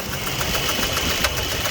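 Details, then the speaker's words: 2004 Jeep Liberty Renegade at idle: sharp, light ticks about seven a second over a busy idle; collapsed lifter, found to have dropped a rocker arm. "Oh, there's a clack there. There's it again. There's it again."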